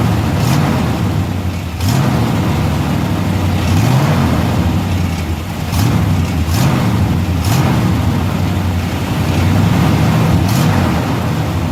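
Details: 1990 Chevrolet K1500 truck, 5.7L 350 V8, automatic, idling and revving with a rough, puffy exhaust note and sharp ticks from an exhaust leak, before repair.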